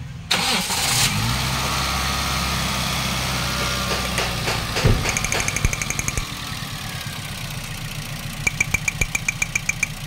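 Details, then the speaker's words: Toyota Vios 2NZ with falling idle and stalling despite throttle body cleaning: engine fires, idles low and unsteady for a few seconds, then dies; vacuum leak or ignition coil/spark plug misfire suspected. "sa mga ganito kasing problema mga boss Maaaring may vacuum leak or may misfire Yung kanyang ignition coil spark plug"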